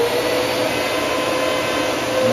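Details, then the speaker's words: Dyson DC33 upright vacuum run upright: loud steady whistling whine over rushing air with poor suction, caused by a clogged lower hose; the filters were checked first, and cleaning the hose was the fix. "once you put it upright it's making that noise and this is not getting so much sucks so trying to figure out what's uh what's wrong with it"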